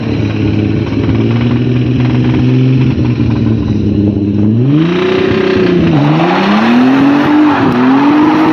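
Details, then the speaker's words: 1989 or 1990 JDM right-hand-drive twin-turbo manual Nissan 300ZX, ex-track car: hard revving during a burnout with tyre noise and a rough, uneven knock underneath; bad rod knock, suspected worn rod bearing. "She don't sound good, but she survived. So the engine knocks, hey? Yeah. Badly."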